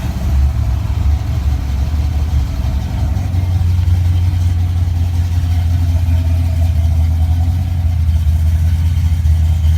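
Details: 1988 Mustang GT, 5-speed, with a rebuilt A9L ECU and a Pro Comp upper/lower intake that is cracked but thought still working. Deep, steady V8 burble at idle through open exhausts, even with no stumble or miss; fuel pressure about 30 psi.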